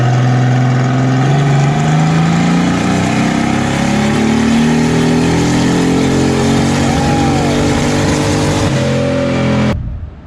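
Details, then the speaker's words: Boosted Datsun 280ZX on a full-throttle pull: the engine climbs hard, then near 6000 rpm won't rev higher and falters, breaking up and stalling. It is running far too rich at wide-open throttle; high-rpm misfire being diagnosed. "when he got close to six it wasn't wanted to go any higher oh really yeah it runs up and then it kind of stalls right here"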